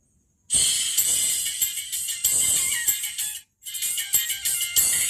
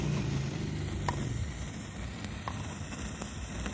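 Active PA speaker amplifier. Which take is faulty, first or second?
second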